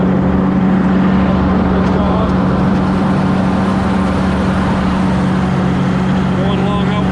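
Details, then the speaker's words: Cub Cadet Low Boy 154 tractor in back field: small engine running smooth and steady, low even hum, no skips or misses; running pretty good. "Hello everybody, as you can hear, it's running pretty good."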